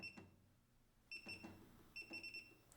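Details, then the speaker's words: Singer SE9185 sewing machine touchscreen panel, adjusting zigzag width: short high beeps, one per button press, in a quiet room; normal keypress confirmation tone, which can be switched off in audio settings. "Aí eu posso, por exemplo, clicar e a máquina não vai ficar fazendo esse barulhinho, esse pi, que toda hora eu aperto."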